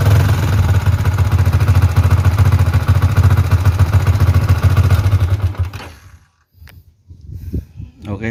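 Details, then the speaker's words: Yamaha Vixion NVL single-cylinder, kick-started since the starter failed, idling: rapid, even ticking about three or four a second from the cylinder head; mechanic suspects overly loose valve clearance rather than a seal. "jadi suaranya itu suara ngeceknya itu kemleeteknya itu di kalau saya dengarkan ini tadi suara dari head dari silinder head ya dari kop kemungkinan Bukan seer tapi bagian temlar ini setelan klepnya terlalu renggang ini kayaknya ini"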